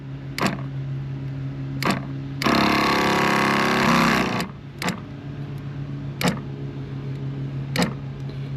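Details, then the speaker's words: Sprayers Plus 105EX battery backpack sprayer after pump replacement, before the final fix; steady motor hum with a sharp click about every 1.5 seconds as it keeps cycling, because the hose fitting was not fully tightened. "Let's turn it on. And it's still clicking on."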